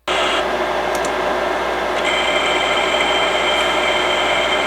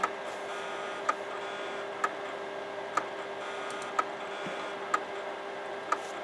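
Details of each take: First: Imation LS-120 SuperDisk drive, bought used (eject button faulty), with an official 120 MB SuperDisk inserted: steady high whine with a couple of brief seek chirps, no rattle or catching; sounds okay, normal operation. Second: Imation LS-120 SuperDisk drive that can't read a regular floppy: sharp single click about once a second over a faint whine, endless head recalibration like a click of death; heads suspected damaged or extremely dirty.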